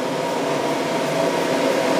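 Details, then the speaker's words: Burner of a 665 kg/h steam boiler released to first stage after the ignition torch, all indicator lights showing correctly. Steady roar with an even fan hum building slightly as the flame lights; normal first-stage running. "Donc libération de la première allure. Là on constate que tous les voyants sont rouges, donc tout est bon."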